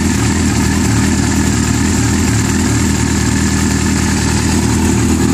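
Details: Yamaha R6 idling with a light, busy metallic rattle: the cam chain is loose because the screw-type spring cam chain tensioner has worn threads and its spring cannot hold the chain tight.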